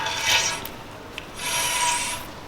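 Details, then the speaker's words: BMW 335i while driving: dry rasping scrape from the rear left wheel, rising and fading with wheel rotation, unaffected by footbrake; broken handbrake shoe lining dragging, lining split and partly missing. "the handbrake shoe seems to be sticking or making some sort of like a rubbing noise when i'm driving it it's from the rear left"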